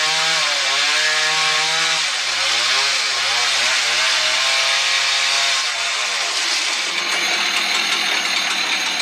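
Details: Husqvarna 110 chainsaw cutting with a dull chain: screams high and bogs repeatedly in the cut, pitch sagging and chattering instead of pulling steadily, chain clogging.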